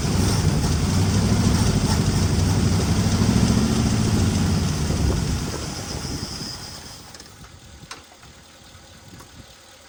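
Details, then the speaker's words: 1961 Mercury Meteor, 37,000 miles, first start after 43 years parked, fan belt cut because the water pump is locked up: catches and chugs unevenly for several seconds, then fades and stalls; rough running, oil blowing from the missing fuel pump hole. "It's alive. Oh, it's blowing oil out the It's blowing oil out the hole here where the uh fuel pump's supposed to go. But by golly, she runs."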